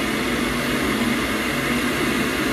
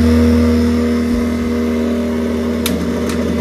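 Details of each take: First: Boiler after repair, run at maximum where it previously shut off after a minute: smooth, constant fan rush and low steady hum without surging, fan pressure minus 6.7; normal boiler fan running. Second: Worcester combi boiler with case off: loud droning fan, rough like a tractor, steady low hum that sags; the fan ramps up on hot water and the boiler cuts out at full speed; worn fan needs replacing.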